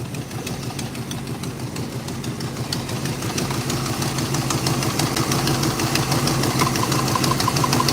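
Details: 1963 Chevrolet Impala at idle: steady light ticking about three per second, heard through a screwdriver, worse on one side; hydraulic lifter suspected, not confirmed.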